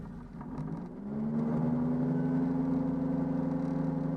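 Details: Peugeot 104 GLS on stands, fifth gear engaged, clutch released: droning whir pulsing about four times a second as wheel spins; drivetrain noise heard from 30–50 km/h, owner unsure if CV joint, bearing or gearbox.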